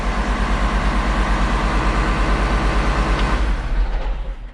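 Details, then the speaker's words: Case IH 7130 Magnum diesel tractor, about 3,300 hours, after replacing failed cab solenoid that caused start-and-die: starts and settles into deep, steady low chug with no stumbling; running normally. "check for wipers okay I got both of those so technically this tractor should start right up which it does"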